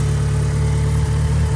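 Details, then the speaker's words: 1990 Mitsubishi Eclipse GSX just after oil change, cold start before warm-up: low, steady, even idle with no knocks, misses or whine; normal idle. "but other than that, she's doing pretty good. Not too bad. So, we're going to let her warm up, give her a couple of revs"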